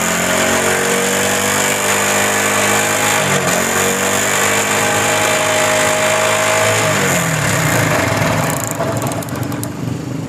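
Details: Honda CD70 motorcycle after fixing a missing fault caused by damaged, corroded wiring in the ignition current circuit (magneto wire and CDI unit checked, CDI fine): small single runs steadily with an even beat, revs rising and easing cleanly, no missing.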